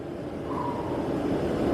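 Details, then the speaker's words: New 35,000 BTU Fogatti propane RV furnace after install, warming up after ignition: steady airy rush with smooth fan hum building slightly as it starts pushing warm air, no squeal or rattle; blower healthy. "And then it's gonna start warming up and start pushing. All right, so now you go, now it's pushing air."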